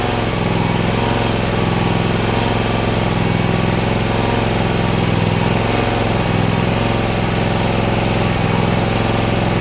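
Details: Bad Boy Maverick zero-turn mower with Kawasaki engine, repaired after a fire, started in neutral while jacked up with wheels off the ground: steady, even engine beat with a firm low drone and no misses. Runs smoothly.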